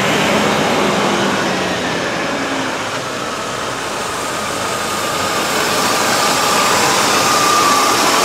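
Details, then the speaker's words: 1988 Mercedes-Benz 560SEC Euro after replacement fuel pump and leaning out the flooding fuel distributor: steady, even idle with a soft hiss, revs nicely; still smoking, possibly old gas or valve stem seals, mixture untested. "It runs okay. I'm sure I'm going to have to fine tune it, but I do have a CO meter, so I can do that. But it revs nicely, it runs okay."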